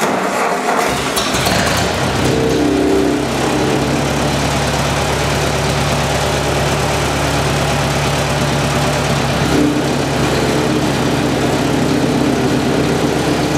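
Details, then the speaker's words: Ford 8N tractor after Marvel Schebler carburetor rebuild, idle jet deliberately turned off its setting with a screwdriver: engine starts and runs, then the idle goes uneven and wavering instead of steady; idle flutter from misadjusted idle jet. "did you hear the tractor flutter down there you don't want your tractor to sound like that at all so keep tuning this idle jet is easy to do with the screwdriver"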